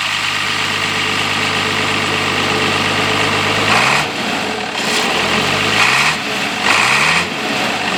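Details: International 856 tractor diesel, started on a cold day with the original muffler still fitted: steady, even idle, then a few quick throttle blips that rise and fall cleanly; healthy engine, no knocks or misses, normal idle.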